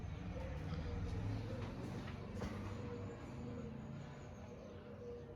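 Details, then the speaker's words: 20-year-old (since 2004) KDK B56X5 56-inch industrial ceiling fan with stiff motor, switched to speed 1: steady low electrical hum, blades not turning, needs push start depending on motor position; owner suspects bearings; hums but fails to start. "it's trying to spin. You can hear it's running, but it's not. So basically I kind of had to push start it, but it also depends on what position the motor seems to be in."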